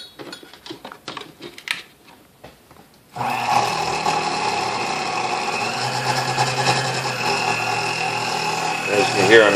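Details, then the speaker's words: Sunbeam Mixmaster Model 12 vintage mixer, first plug-in before restoration, badly cracked cord: after a few clicks motor starts with buzzy, uneven whir and rattly chatter; runs rough, cause not yet known. "can hear, I mean, it sounds pretty rough. So it doesn't matter because it's going to be completely taken apart."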